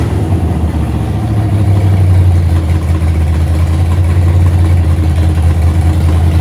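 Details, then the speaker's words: 1982 Holden WB ute, 355 stroker V8 with 280 solid flat-tappet cam, first run after six-year build, timing about 10°, no vacuum advance hooked up, warming up: deep, loping idle with uneven chop two to three times a second; lumpy cammed idle. "but yeah it's got a lumpy old idle it's got a big decent cam in it yeah a 280 solid cam for those who haven't tuned in before"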